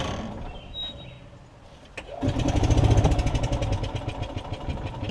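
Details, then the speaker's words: Yamaha golf cart engine with fuel starvation, running on choke before carb bowl and top jet drain and flush: a few weak cranks then lumpy uneven chugging that barely holds; getting some fuel, suspected main jet issue. "it does fire that one time if y'all can hear it you hear it so it means i am getting some fuel here it's trying it's more than it did"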